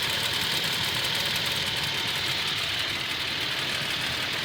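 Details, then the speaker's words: Toyota Tacoma nearly at operating temperature after about 6 minutes idling: steady idle with a fast, light tick, about three a second, from the driver side, louder at operating temperature. Owner thinks the engine is defective; Toyota says it is within spec. "there you go you can hear right here that's not normal see it sounds louder after each his operating temperature but you got to let it idle in order to really hear"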